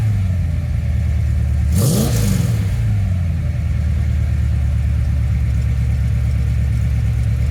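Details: Carbureted engine with distributor vacuum advance, ported vs manifold vacuum source being compared, no load, advance seeming to come in around 1500 rpm: smooth idle, quick clean blip with pitch rising and falling back, no misses or clatter; normal revving.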